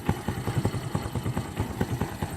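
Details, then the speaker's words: 1986 Honda Fourtrax 200SX single-cylinder ATV, original engine, nearly 30 years old, one-pull start with a little throttle: steady low thump about five beats a second, no rattles or misfires; normal healthy idle. "But yeah, it runs pretty good. Idle's nice. Haven't really had any problems with anything with the engine."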